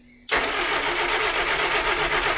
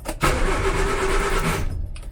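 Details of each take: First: 1970s Austin Allegro project revival: steady starter churn about four beats a second, cranking freely but never catching; contact breakers possibly heard opening but no spark at all, no ignition. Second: 1970s Austin Allegro, after fixing bad ground (found by bridging starter solenoid): steady starter cranking that catches into a brief engine rumble, even and unlabored; starter now cranks normally.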